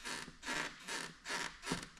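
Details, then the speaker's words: Model jet (Minion Jet) airframe pressed by hand gives repeated squeaky creaks. A gap and small cracks on both sides reveal flexing. "And then you kind of I touched this and it made that you can kind of hear it the squeaky sound."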